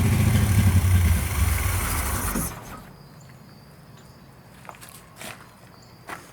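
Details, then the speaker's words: Commando with Sniper EFI, first start since getting it back: engine catches, runs rough for a couple of seconds, then fades and stalls; fuel starvation, owner unsure whether Sniper unit or fuel lines. "Alright, so as you guys can hear, it is obviously a fuel issue. I don't know exactly what it is. It seems to just not be getting quite enough of it."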